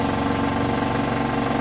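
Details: Hotpoint washing machine on bed and bath cycle, final spin at 1400 rpm: fast, steady spin hum with a quick, regular knocking pulse riding on it; source of the knock unclear.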